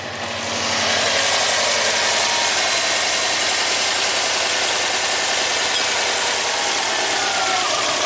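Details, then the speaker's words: 2005 Subaru Legacy Turbo, 82,000 miles, revved and then alternator plugged in: uneven, stumbling beat about four pulses a second with a ragged raspy tone; barely running, misfiring. It ran smoothly unplugged, and the crank sensor signal only got weaker. "car is barely [Music] running and we'll shut it off"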